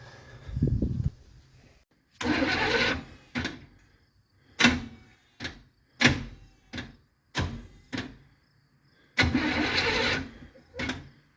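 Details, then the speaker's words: 1976 Chevy Nova with a 383 V8, first start attempts in about 15 years: several short cranking bursts, then it fires, revs in brief surges and dies each time. Owner suspects it ran out of fuel. "again we might have run through all burned through all the fuel"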